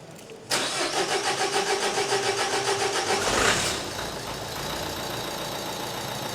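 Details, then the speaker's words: 1.5 dCi diesel started after repair and reassembly: cranks briefly with a rapid even chug, catches cleanly and settles into a steady, smooth idle; no fault codes afterwards, a normal start. "there we go that there's now running taking over perfectly"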